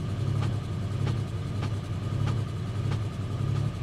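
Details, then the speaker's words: Pontiac G8 GT V8 listed as a non-runner, running on a jump pack in snow: sharp light ticks about 1.5 per second over low idle rumble, an upper-end valvetrain tap; possibly linked to recent intake work. "i hear a that's not a knock is it that's an upper end tap okay it's an upper end knock"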